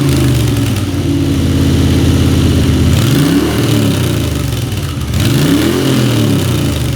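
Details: Moto Guzzi V-twin on first start after a top-end rebuild with new piston rings: idles with an even low beat and picks up cleanly on two throttle blips; runs smoothly after the rebuild.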